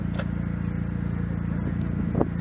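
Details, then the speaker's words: 1988 Mazda 323 GTX, 68,306 miles; idle is an even, low, steady burble with a regular beat and no dropouts or stumbles, no misses at all. "listen to this. Smooth. No misses in it whatsoever."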